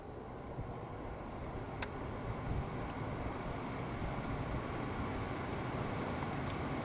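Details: Lexus CT 200h cabin AC blower under passenger glove box, new replacement fan just fitted: smooth even rushing air building steadily with no rattle, ticking or scraping, normal blower.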